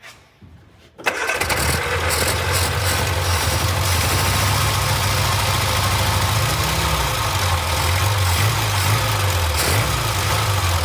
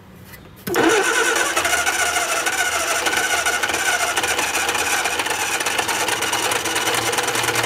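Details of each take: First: Barn-find Austin-Healey Sprite, 60-year-old fuel pump replaced with a new one: catches after a second and settles into a steady, even run with gentle throttle blips, no stumble or misfire; normal running. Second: Austin-Healey Sprite barn find after long storage, first crank with fuel bowls filling and carb gaskets leaking: cranks, catches abruptly and runs with an uneven, stumbling note; rough running, fuel pump later replaced.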